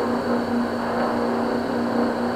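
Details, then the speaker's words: Vaillant 837 boiler forced to high fire: constant rushing hiss, steady low hum and faint high whistle; kettling as a blocked coil in main heat exchanger overheats and vibrates against other coils. "okay so basically what you're hearing there is the coils vibrating where they're overheating within the boiler"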